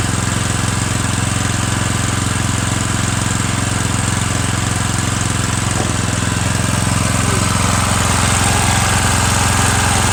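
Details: Murray 17.5hp riding mower with 42-inch deck after new Stens 265-031 deck belt and deck install, gas leaking at the side: steady, even drone under mowing load, no knocks, misses or surging; PTO clutch slightly sticky, mows well, normal running.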